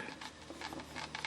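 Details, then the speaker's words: FMS F4U Corsair RC plane after a gear-up belly landing, bench-tested with the transmitter bound: quick, irregular, high-pitched chattering buzz from the servo, which seems to be binding as it pulls on the main gear door. It comes and goes when the door is pulled out. "but I think this Servo here has got something that's binding up on it pulling out on the flap door a little bit that stopped that seems to be okay now it's making noise again"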